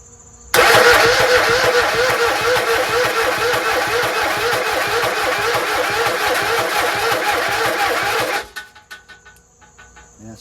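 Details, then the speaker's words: Rebuilt Kohler 26.5 EFI ECV749 V-twin on a Toro Z-Master 5000, with a fully charged battery and a leaking sump cover. The starter drags the engine slowly and heavily for about eight seconds, never catching. Slow, laborious cranking; it cranked faster at first. "it takes a lot to crank it as you can you could tell. And the battery is fully charged."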